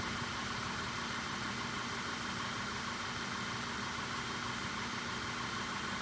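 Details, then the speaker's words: VW Jetta GLI idling with misfires on every cylinder and cylinders deactivated, long-term fuel trim around 30: rough unsteady idle behind heavy hiss; suspected cause ignition coil connectors backed out with broken locking tangs, later connectors and coils replaced. "I have a feeling the connector is just uh backed out a little bit made loose contact cuz the locks all broken since I got M fires on every cylinder"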